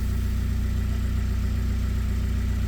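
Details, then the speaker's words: VW Passat diesel idling after two months standing, with a fast low clatter and heavy drone; the tandem vacuum pump has failed and a hose broke, leaving no vacuum and oil dripping. "I mean, the noise is working, but there's a problem with the Tandem pump and the vacuum itself, the tandem pump has gone all the way or pump tandem pump"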